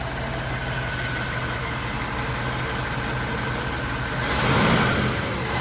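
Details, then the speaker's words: 1954 Buick Century with rebuilt Nailhead V8, dusty but all original, idling by itself: steady, even low rumble with no knocks or misses, a slight swell near the end; smooth, healthy idle. "Other than being quite dusty, it's all original. It's idling all by itself."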